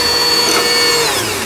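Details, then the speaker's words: Juki HZL-355ZWC sewing machine, repaired after a jammed hook from sewing thick fabric, winding a bobbin on a Singer pedal. Fast even whirring whine that sags in pitch as it slows at the end; bobbin winder working normally. "요거는 이제 요 기계는 주기 재봉틀의 355ZWC라는 기계인데, 좌측 웨버를 우측으로 지켜주는 실만 감기게 되어 있는 또 이런 구조가 되겠습니다."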